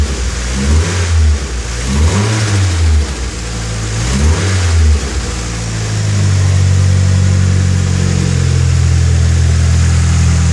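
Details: Nissan SR20DET turbo petrol engine after replacing a faulty timing chain tensioner that let the chain hit the top guide rail; three throttle blips then a steady raised speed, smooth with no chain rattle.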